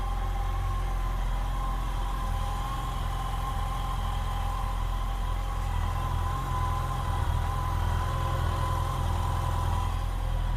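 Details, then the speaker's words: 2007 Yamaha FJR motorcycle, replacement engine on first start after the original died: steady even idle, smooth low rumble, no knocks or ticks; owner says it sounds much better than the old engine, slight smoking noted. "This sounds a lot better than the engine that was in it. Wow."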